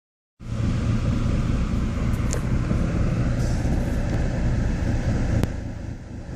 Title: Rough idle